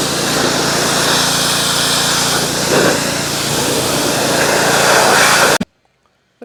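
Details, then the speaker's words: Trash-picked Ryobi 3100 psi pressure washer, Honda GCV190 engine from 2018, after warm-up: even, steady buzz for several seconds with no surging or knocking, then clean shutoff, no water leaks; runs fine. "seems to work just fine pretty cool I don't see any water leaks either it's all dry"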